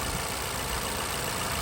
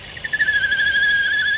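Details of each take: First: Vauxhall/Opel Insignia 1.6 SIDI A16XHT after replacing the failed PCV valve that caused a squeal and air sucking at the camshaft seal: steady, smooth idle after about half an hour running, no squeal or sucking. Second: Vauxhall/Opel Insignia 1.6 SIDI A16XHT, noise near the rocker cover/camshaft seal: steady high-pitched whistling squeal at even pitch that goes away when the dipstick is pulled; failed PCV valve in the rocker cover.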